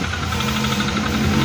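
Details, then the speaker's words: A Yamaha NMAX V2 scooter with the CVT cover off, still noisy after an engine block replacement, idles unstably with a rapid, rough clanking knock from the belt drive, where the drive face teeth are stripped. "Ang ano ang masama yung dried face is tanggal yung mga ngipin."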